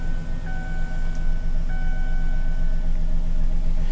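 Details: Auction car with 163,000 miles, just started: low, even engine rumble under a couple of dash chime tones, with no ticking or knocking. Engine idles smoothly. Normal idle.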